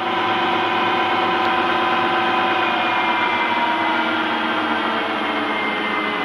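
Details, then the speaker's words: Harrison M250 lathe after refurbishment, 0.9 kW motor on 1.1 kW inverter speed control, running around 1500 rpm (variable 750–2000): even mechanical whirr with steady hum, no knocks, grinding or squeal; smooth and quiet, normal running. "lovely machine nice and smooth nice and quiet"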